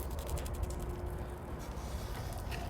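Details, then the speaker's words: 2022 StarCraft Super Lite 212FB travel trailer power awning extending via hold switch; steady low motor hum with soft ratcheting tick and faint gear whine; normal awning motor extending. "So about your awning, when it is extending like this, you do want to look for a little excess flap that kind of comes down, and then the black bar it's sitting on underneath it."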